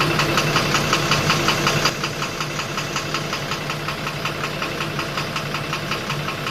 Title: 12-M FE Engine Knocking Problem | Step by Step Guide